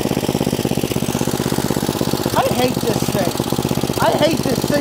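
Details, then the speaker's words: 1972 John Deere 56 mower with swapped-in engine, seals redone and carburetor cleaned, air filter off: loose uneven single-cylinder chugging with throttle bursts while driving; running rich, carburetor dumping fuel despite rebuilt seals and checked vents and valves. "the mower runs it will drive but it is belching fuel out the carburetor like there is no one's business"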